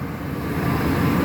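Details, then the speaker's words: 2001 Ford F-250 5.4L, original idler pulley with 270k miles that sometimes screeches on start: this crank is quiet, steady rumble with no screech or squeal; normal cranking without belt squeal. "so I noticed that when I crank my truck [Music] that sometimes it cranks fine just like this"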